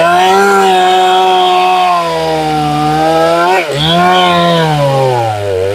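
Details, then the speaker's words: Chainsaw, high side tuned, cutting white pine at full throttle: screaming steady note with slight burble on top, normal four-stroking showing a safe, slightly rich tune. "I don't know if you can hear that burbling on the top I'm going to do that again noise that's that burbling on the top I'm talking about the four stroking"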